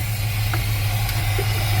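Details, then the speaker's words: 1979 GMC C15 pickup at first-start idle with the air cleaner lid flipped over for a deep throaty intake roar. Steady, even idle with a deep low rumble and hollow intake roar, no knocking or clatter. Normal idle with open intake. "My screw's not tall enough. You flip that over, gives it that deep throaty sound."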